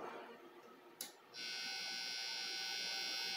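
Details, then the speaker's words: Guitar amp switched on with the open end of the cable live gives a steady high buzz over a fine hum, heard while testing a Fishman Fluence humbucker install with copper shielding — hum and buzz from the unplugged cable. "that's the end of the cable it's my amp so that little bit of hum and Buzzy here"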